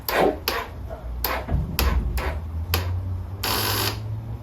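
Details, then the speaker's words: Non-running 1989 Honda NX250 on choke: heavy irregular clunks about every half second on the attempted start, a rough mechanical clatter as it cannot fully turn over; cause unconfirmed, carburetor later found the main culprit. "That doesn't sound good."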